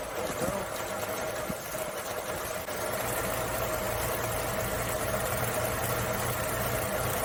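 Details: Carbureted Suzuki Samurai (SJ410/SJ413) after troubleshooting, in cooler evening air: after a couple of pedal pumps it starts and keeps ticking over at an uneven but steady pace under outside noise. Normal idle.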